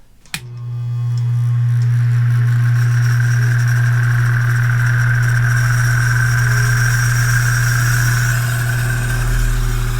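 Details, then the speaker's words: Duracraft DV-518 18-inch 4-speed high-velocity fan: after a switch click the motor hums loudly with rough gritty grinding from worn ball bearings, worn by a badly out-of-balance blade; bearings replaceable. "Well, it's definitely ball bearing. That is the sound of worn ball bearings."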